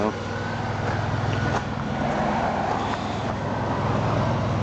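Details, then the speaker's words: 1989 Buick LeSabre T-Type, 3.8L 3800 V6, running and driving well: steady, even low idle hum with no knocks, misses or hunting under faint street noise; healthy idle. "runs and drive's good"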